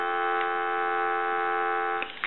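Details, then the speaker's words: Western Electric Princess telephone on final checkout after its bell, messed up in an earlier refurbishment, was repaired: after ringing, a clean, steady dial tone at good volume with no crackle or dropout until the handset clicks; receive side normal. "I'm going to let that go a couple of times since that was the issue we'll let it go one more time give you some dial tone"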